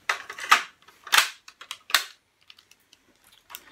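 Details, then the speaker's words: Pioneer CT-W205R 1990s auto-reverse double cassette deck during service: sharp mechanical clicks and clunks in quick bursts as the head flips between sides. Very noisy, but this is normal auto-reverse mechanism noise, no fault. "it's a very noisy deck but that's the head spinning backwards and forwards"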